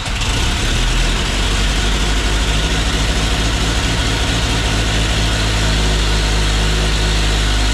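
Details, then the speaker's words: 1950 Chevy Styleline, custom with chopped top, sat over five years; after gas was added it fires almost instantly and settles into a strong, steady, deep even idle like an old John Deere. "or it'll just start right up instantly. Sounds like an old John Deere."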